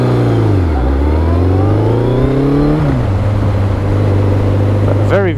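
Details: Yamaha XJR1300, pre-collection test ride: clean note climbs smoothly through the revs, eases off, then pulls again with no misfire or rattle; healthy engine under acceleration.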